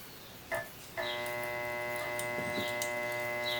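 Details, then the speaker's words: Consul/Brastemp washing machine electric motor tested on bench: a click, then a steady hum with no spin-up; motor stalled and bad, and swapping capacitors did not help. "ouvindo o barulho motor não parte motor está ruim me a mão ele vai coloco fica só esse barulho e não vai aí"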